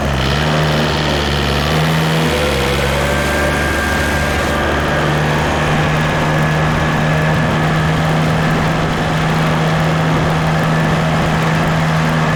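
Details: Case 188D diesel backhoe tractor after a year-long rebuild, first drive on a four-mile road trip, good oil pressure and water temperature: deep, steady drone at even speed with no knocks or misses; normal running.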